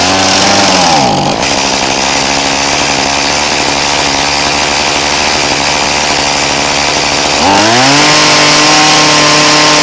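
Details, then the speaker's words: Poulan Pro 2322 hedge trimmer two-stroke, mixture screw slotted for adjustment; high buzz drops sharply in pitch, holds, then climbs back as screw is turned; engine speed changes with mixture adjustment. "i'm going to start up the machine and show you what difference it makes to adjust the screw now that i have a slot that i can do the adjustment"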